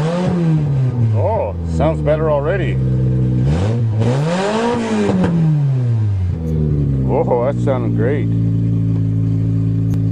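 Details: Toyota GTS started in April after sitting all winter, using a battery taken from a dozer: the engine revs up and settles back a few times, pulling smoothly with a slightly uneven edge, described as a little rough this year. Normal running.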